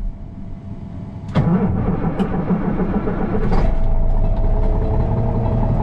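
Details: Diesel semi truck at -32°C (-25°F), plugged in so the block should be warm: quiet, then a short crank, and it catches at about 1.5 seconds and settles into a steady, even idle. A healthy cold start.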